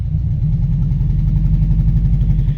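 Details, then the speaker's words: Lifted Subaru GC8 at idle, heard from the driver's seat with the whole car shaking: deep, lumpy idle that stumbles unevenly instead of a smooth thrum; ignition box ruled out, misfire traced to a loose plug wire and fouled plug. "oh holy crap this thing is shaking my arm so bad like the camera's going crazy look at this like that's what it feels like in the pa in the driver's seat like that's probably a better representation of how much this is actually misfiring or like the shakiness you know"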